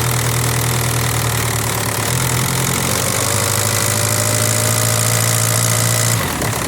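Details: VW ALH TDI diesel from a 2003 Jetta run outside the car on its stripped, reconnected wiring harness for a swap; even diesel clatter at steady idle, no misses, then shut off; healthy idle.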